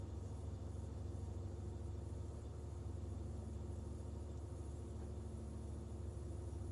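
Low, uneven idle rumble that lopes and shakes about three times a second instead of running smooth; a rough idle, cause not obvious.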